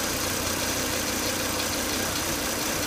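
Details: Volvo S80 2.5T with high crankcase vacuum, sucking air hard at the oil cap, noise starting after 10–20 minutes' running: idle has a thin, steady high-pitched whine over a hiss. Fixed by replacing the crankcase breather box/filter.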